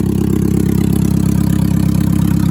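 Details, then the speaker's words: 1999 Mazda NB Miata, stock, after sitting 8 years on old gas, first start: loud, deep, steady idle with even pulse and no misfires, plus a small exhaust leak. "Oh boy. I have a tiny little exhaust leak."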